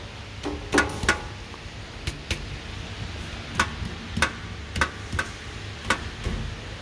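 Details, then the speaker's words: Mercedes E55 being checked for a transmission oil leak: irregular sharp taps, one or two a second, over steady engine hum, like something touching; left side suspected, source unconfirmed. "Oh, it's touching here. No, it's not. Somewhere here. Can't hear it. No, the right one is fine. The left one makes some sound."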